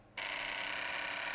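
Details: Sony PS2 slim with strange laser motor sound, opened with end-position switch checked; sudden steady high buzzing grind that holds; laser sled motor grinding noise.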